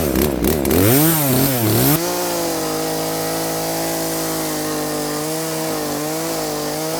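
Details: Poulan P3416 34cc 16-inch chainsaw with new Hipa carburetor, adjusted, cutting wood: revs up and down then holds a steady high-pitched cutting drone under load without bogging; fixed by carb adjustment. Healthy cutting.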